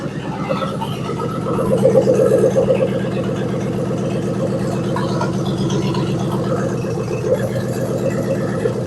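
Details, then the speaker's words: 2000 Ford Crown Victoria police car, verified 45,000 miles, rescued from junkyard, just started after fuel work: steady even idle with loud exhaust needing repair, some rattle, no smoke or misses; runs smooth. "That thing runs smooth. I mean, it rattles. It don't smoke."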